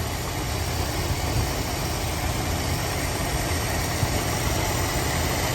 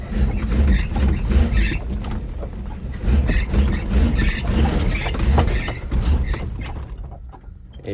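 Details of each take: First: 1980 Mercury Zephyr after carburetor rebuild and timing adjustment, owner suspects a slight vacuum leak: steady, even low rumble with no knocks or misses; normal idle. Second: 1980 Mercury Zephyr after carburetor rebuild, in gear with heavy throttle: engine revs unevenly then dies; stalls under load, suspected ignition timing not yet checked.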